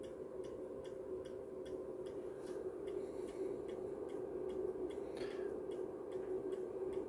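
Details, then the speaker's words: MW Power MW-SC6B battery charger on a 12V AGM battery in 24V recondition mode: crisp even ticks about two and a half a second over a faint hum, pulsed charging judged too strong for AGM. "ale tutaj mamy o coś zaczyna to to już hałasuje"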